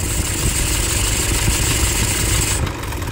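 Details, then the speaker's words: Toyota Hilux 2.5 diesel just started: loud idle with a rough, scratching rattle from a failing alternator overrunning pulley, with bearing noise in the background, pointing to a worn belt and idler bearings. "Tudo indica que temos aqui um barulho de alternador pío de alternador esse barulho mais acentuado aí tem um no fundo mais de rolamento assim ó de rolamento"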